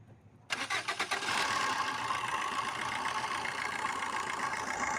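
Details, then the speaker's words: Suzuki Swift BS4 diesel cranks, catches and settles into a busy idle with a metallic rattle over the clatter; water pump bearing has excessive play, to be replaced with a new water pump. "Swift diesel के engine से खड़खड़ की आवाज आ रही है"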